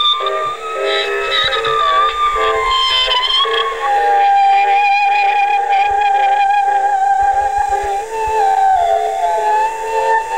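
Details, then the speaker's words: 1960s Aiwa TP-40R portable 3.5-inch rim-drive, transistor, DC-bias reel-to-reel playing a music test recording: the pitch wobbles and drifts every few seconds, speed flutter from the low-quality rim drive. "anyway you can hear this speed irregularities and you know come in every now and then you know and all the little Wayne's a rim drive low quality for transistor DC bias rim drive recorder"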